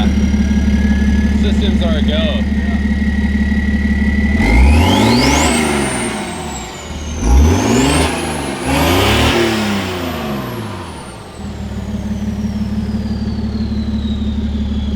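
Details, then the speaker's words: Diesel BMW E90 with exhaust mid-section missing, downpipe open, effectively straight pipe: deep, loud diesel idle drone, then revs with turbo whistle rising and falling; far too loud. "those turbo sounds are kind of cheating huh so it sounds crazy cool but it's a little loud for what it needs to be"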